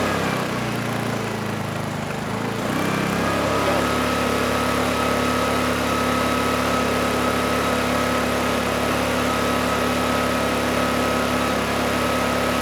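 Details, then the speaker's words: Hard-starting Honeywell HW2000i 2000 W inverter generator, dirty carburetor, started with starting fluid: after a rough catch the small engine settles into a steady, high-pitched run but only holds with the choke on; stalls with choke off. "the engine actually was running on the carburetor the carburetor took over but only with the choke on once I turned the choke off the engine installed"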